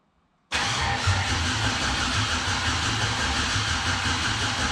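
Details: 1971 Impala with LS swap cranks with steady fast churning but never catches; no spark found at plug wire, fuel pump possibly not running during cranking.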